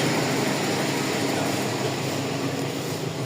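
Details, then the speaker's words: Toyota Corolla GLI 4A-FE petrol engine, already misfiring: idle sags and turns rougher when the AC engages, dropping almost to stalling as the idle-up responds too slowly. "Yun din ang issue mo pagka nag-aircon ka bumabagsak para mamamatay. So ayan ito pa yung issue ni sir pag nag-aircon daw bumabagsak."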